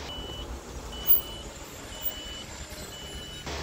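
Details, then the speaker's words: 2008 Suzuki Grand Vitara brakes: four short high-pitched squeaks, about one a second, at each brake application, metal-to-metal friction because pad contact points were left ungreased; fix is new pads and grease. "You hear those squeaks every time I press the brake. I hear those squeaks. It came from friction of metal to metal because the last man who did this job, it didn't add some grease on the meeting points here and here."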